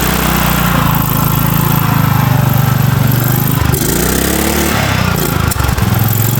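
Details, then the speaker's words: 2006 Cub Cadet LT1045 riding mower, small single-cylinder engine, slightly larger fuse fitted after repeated fuse blowing: runs fast and steady well above normal idle, never settling while adjustment is tried; governor suspected as cause. "I'm going to go ahead and start it up. I'm going to see if I can get the idle to come down."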